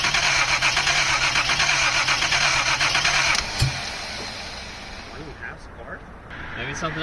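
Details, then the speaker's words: 1979 Datsun 280ZX, long neglected, after new injectors and bad fuel replaced with new fuel: starter cranks evenly about three seconds with no catch; cranks but won't start, cause unconfirmed (suspects too much fuel). "So, we should be good to go. We'll see. This thing never starts."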